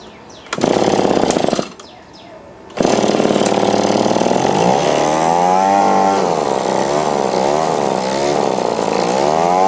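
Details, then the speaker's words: Echo PB-2520 two-stroke blower after carburetor cleaning and reinstall: fast buzz settles to a steady, even idle, then revs rise and drop cleanly without stumbling; running normally. "Alright, that's sounding better. Let's adjust the idle."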